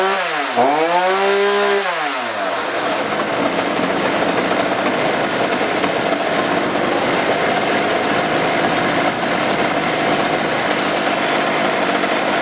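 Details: Chainsaw that wouldn't rev, with a suspected bad spark plug, after carb adjustment; pull-start, quick rise in revs settling into a steady, high-pitched, even buzz; saw now revs and runs normally.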